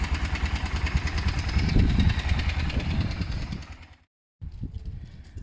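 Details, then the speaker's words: Motorcycle project idling after work: steady single-cylinder thump, even beat without stumbles or clatter. Left to idle a few minutes; owner says it sounds great. "I'm going to leave it idle for a few minutes I think that's best I think it sounds great"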